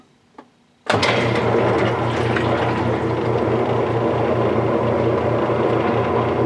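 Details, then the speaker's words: Whirlpool direct-drive washer after motor coupler replacement, lid switch bypassed, dial on spin: motor kicks in to a steady hum with soft even pulse, no knocking or grinding; spin working normally. "we've put the dial over to spin and we're going to go ahead and do that and this should start spinning just like it always did"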